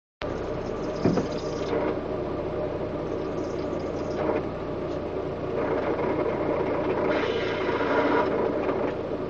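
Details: Ford Tempo 2.3 L four-cylinder idling, recorded from inside the car: rough, hissy whir over the engine note from a worn water pump bearing, stressed when the engine was dropped to do the harmonic balancer.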